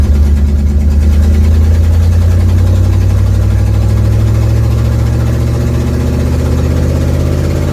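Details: 1972 Ford Mustang driving home, phone mounted in the dash, leak not yet fixed: loud, deep engine drone with a rough low puffing throb while driving, stronger under throttle. Exhaust leak.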